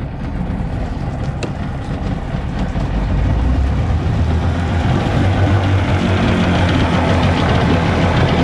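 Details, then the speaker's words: Evinrude/Johnson 50 HP two-stroke outboard on a Sea Nymph boat, after sitting long and a tune-up, just cold-started: revs up smoothly with a little throttle, clean even note, returns to low idle; normal throttle response. "I love how it returns back to that Idol guys"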